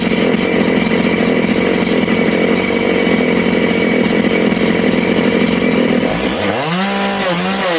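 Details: Big-bore Makita/Dolmar 6400/7900 85cc 54mm chainsaw, carb limiters removed, needles set one turn out: it screams flat out, then drops and hunts as revs fall toward idle. The low-speed jet is lean; leaning it further nearly stalled the saw, so it got more fuel.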